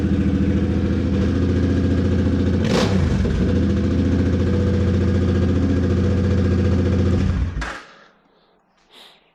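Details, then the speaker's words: C50 small single after rebuild, new fuel pump, not run for a long while, suspected stuck part freed: runs with an even, quick beat, takes a brief blip cleanly, then shuts off; no knocks or misfires, sounds healthy, normal running. "She runs. Hell yeah. Sounds healthy as hell too."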